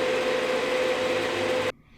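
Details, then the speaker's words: Marantz 2500 vintage receiver on a dim bulb tester with the power amp unhooked: the cooling fan runs loud and steady at high speed after startup. The transformer is likely good; a power amp fault is suspected, probably shorted power transistors, not confirmed. "I knew I had the power amp unhooked, but I was real surprised when I heard the fan running loud again."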